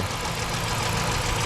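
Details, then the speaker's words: 2006 Dodge Magnum 5.7 L V8, already warm after a trip, just after installing a K&N cold air intake, with no check engine light. Smooth, even low idle rumble and quick revs with no knocks, misses or hiss. Normal idle. "Oh yeah, you can hear that throttle open up real good now. Well, that sounds pretty good."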